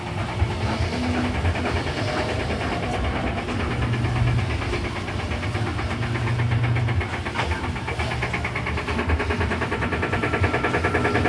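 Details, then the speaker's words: Panasonic B7 washer during spin: loud heavy rumble with rapid knocking as the basket runs crooked in the tub; support of the mechanism underneath has worked loose, possibly a manufacturing issue. "Perceba como ele tá torto na hora da centrifugação ela tá fazendo um barulho muito alto"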